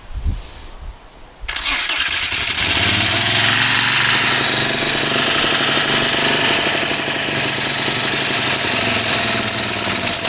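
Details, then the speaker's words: Moto Guzzi twin, first start in over ten years after carb rebuild and new starter, no throttle fitted: quiet cranking, then it catches and settles into a steady fast idle with an even beat; sounds good, smoky from old oil in bores. "so that is absolutely great news because I have never heard this engine run before until this moment but it did actually sound quite good actually"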